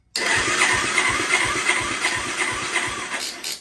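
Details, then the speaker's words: Kawasaki Bayou 220 quad, year unknown, long-stored project with replacement starter and undersized temporary battery: steady cranking about three pulses a second, even compression, never catches; compression present, no fuel, carburetor probably bad. "carburetor's probably toast we've got it starting and we have compression we do have compression what we don't have is fuel and we've still got to check the spark on it"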